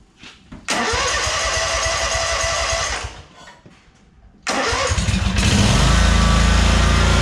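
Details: 2003 Wright Stander mower, 23 hp Kawasaki, with fuel pump rigged to the crankcase pulse output: cranks, stalls, then catches into a heavy uneven thump; poor running because choke and throttle cables were on the same linkage, working against each other.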